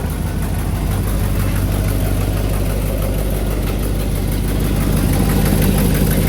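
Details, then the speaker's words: Twin-turbo Silverado on first start after changing from a hood-exit setup to a dual 3-inch exhaust: deep steady idle with fast ragged puffing ticks about three a second, an exhaust leak at the header on one side. "It's definitely leaking out of the header still. I hear it. Loud as shit on that side. So we got a bit of an exhaust leak going on the header on this side, so we'll have to figure that out."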